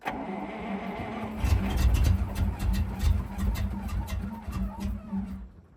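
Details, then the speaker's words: Soviet Ural military truck V8 cranking at -8°C after fuel poured into cylinders: starter churns slowly, about three beats a second, never catches; not getting enough fuel. "Well, we know now that it's not it's not getting enough fuel."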